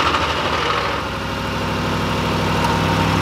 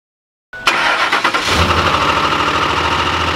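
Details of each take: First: 2005 Ford F-150 5.4L Triton V8 at cold startup, before adding Lucas oil stabilizer: loud rattling knock over the rising idle, roughly three beats a second; owner suspects dry start from lack of oil, later fixed by the stabilizer. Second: 2005 Ford F-150 5.4L Triton V8, which knocked loudly on startup from dry start, cranks and settles into a smooth, even idle with no knock after adding Lucas oil stabilizer.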